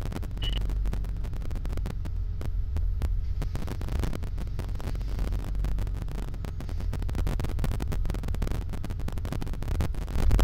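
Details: 1987 BMW 535is petrol engine with a rough surging idle: deep, uneven thumping that wavers rather than holding steady.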